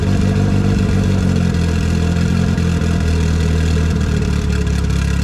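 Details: First run in a year after motor install with belt bottom end, new E85-compatible push-lock AN fuel lines and fresh coolant: deep steady idle rumble swinging on light revs; runs evenly, no knock or misfire.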